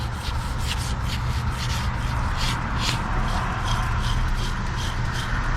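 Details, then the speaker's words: Old A/C compressor clutch pulley, removed after a wobbling pulley caused a knocking while driving, spun by hand: gritty, rough rumble with a rhythmic swish each turn, worn pulley bearing; clutch plate bad, magnet deformed, wiring torn. "very noisy and this magnet is is just this formed and messed up and the wiring on here is torn so just bad all over the place"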